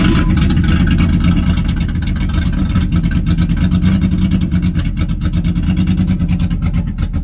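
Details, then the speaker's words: Barn-find 1991 or 1992 third-gen Firebird, estimated around 20,000 miles: lumpy, loping, unsteady idle with no clean pickup, smokes a lot and won't rev; owner suspects a clogged fuel filter, unconfirmed. "so yeah I mean as you can hear she runs she's allowed a huh it smokes a lot the guy was definitely right when he said runs but not 100% I couldn't rev it up"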